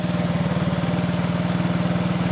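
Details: Yamaha Mio J scooter at a steady idle after repair: even single-cylinder putter, about twelve pulses a second with no skips or surges. It had died while riding and wouldn't restart because the ECU-to-fuel-pump connector was loose; the connector was reseated.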